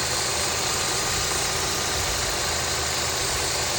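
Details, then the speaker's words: 3rd-gen Honda CR-V with K24 engine, which squeaks when accelerating: at idle after the old serpentine belt and tensioner are sprayed, there is no chirp; the worn belt is blamed, not the pulley or tensioner. "t's defin it's not the the pulley. I think it's it's the belt itself cuz the belt is pretty old."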